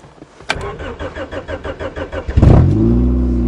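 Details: Honda, cold start at −8 °C after a −11 °C night: steady cranking for about two seconds, then it catches cleanly and settles into an even fast idle; a healthy cold start.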